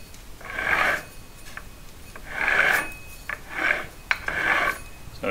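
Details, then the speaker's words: Dennis Premier mower gearbox, oil drained, shaft rotated by hand with microphone moved close: slow rough rasping grind from burred straight-cut gear teeth (burrs ground off), horrendous howl worse under load; gears to be replaced. "hopefully you can hear that it's making a horrendous noise and that's even worse when it's under load"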